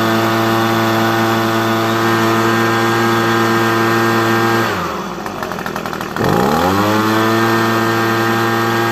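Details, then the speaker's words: Echo PB250 two-stroke leaf blower at full throttle after adjusting the hidden high mixture screw, highest rpm reachable, slightly above stock: steady high-pitched scream, brief off-throttle drop, snaps back; running clean. "So it idles great when you start it, you know. So this is the highest I can get it."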